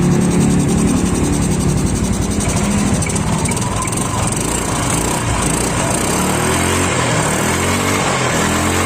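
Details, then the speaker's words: Yamaha Mio scooter after repairing a loose kick-starter shaft and boss: single-cylinder engine revs steadily and evenly with no knocking; CVT-side roughness gone. "Oke. Bunyinya sudah halus. Pada bagian CVT itu tidak berbunyi lagi, karena sebelumnya motor ini pada bagian CVT itu kasar."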